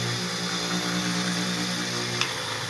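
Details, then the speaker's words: Ferrari bench grinder that wouldn't spin and made noise, after the three missing screws were refitted: a steady, even motor whine at constant speed with a faint rumble; a bearing makes slight noise. Now running normally. "eu coloquei aqui os três Parafusos é importante funcionando agora perfeitamente"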